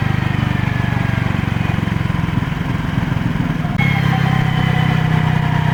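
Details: Used Honda PCX (JF56) scooter: a high whine over the engine drone appears only on deceleration or throttle-off, not when accelerating. Clutch shoe replacement helped only briefly; the cause was a broken countershaft bearing in the final gearbox, fixed by replacing it.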